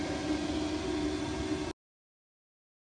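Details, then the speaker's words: Autoterm Air 4D diesel heater starting from an EcoFlow power station's 12 V socket, voltage dipping to about 12.5 V: glow plug on, fan on low for start, then an even fan whir climbing smoothly with no rattles or surging; normal startup. "It did drop a little bit though, under voltage, which is warning on shutdown is the glow plug comes on and then the fan has gone up to maximum to help cool the unit down on startup. The glow plug's on, but the fan's on low for the start."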